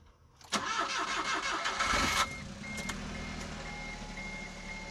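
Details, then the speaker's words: 2009 Smart Fortwo Brabus, cold start after rebuild with body cladding refitted: brief crank, catches at once and flares high, then drops to a steady, even idle with no misses or knocks; starts right up and runs really good, normal. "There you go, just like that. Starts right up. Runs really good. Everything seems to be good with it."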